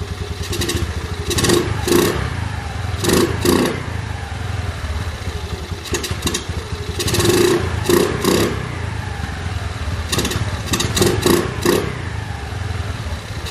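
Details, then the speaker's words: 2022 Honda Navi 110 with a newly installed MNNTHBX intake and crankcase filter, revved once warmed up after a cold full-choke start: crisp throttle blips, clean rise and fall, deep intake roar; healthy. "all right the bike is now warmed up so let's go ahead and give her some reps it definitely sounds so good"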